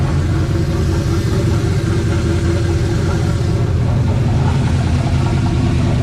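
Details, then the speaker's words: Turbo LS V8 mega truck on E85, first start of the season after sitting over winter, older build: deep loud steady rumble with an even pulse, no ticks, knocks or stumbles; idling smoothly and healthy. "ain't too bad guys kind of an older build been together for a few years but she still"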